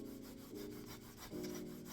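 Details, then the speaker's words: Glorious Model O Wireless gaming mouse sliding on a pad under light hand pressure, giving a dry, scratchy rasp with each slide; original skates never replaced and worn out despite care. "I'm not even pressing down on the mouse, this is just how it sounds. It's very scratchy and I haven't replaced them, but I have taken care of them, and it's still just not that good."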